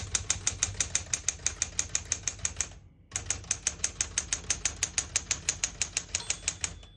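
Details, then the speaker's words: 1970 Smith-Corona Classic 10 manual portable typewriter, single line spacing, margins 0 and 75; crisp even key strikes about three per second, a pause, steady typing and a light margin-bell ding; normal typing. "you hear the bell, you're at the end of the margin. You have to slide space, get you back to the beginning."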